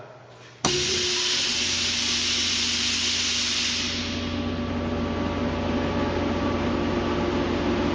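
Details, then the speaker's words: Ingersoll Rand 10 HP rotary screw compressor, 2,062.5 hours, recently serviced with new separator, oil filter, air filter and coolant: sudden start, then a smooth, steady hum and airy hiss with no knocks. Very quiet, normal running. "As you can hear, it's a really quiet unit."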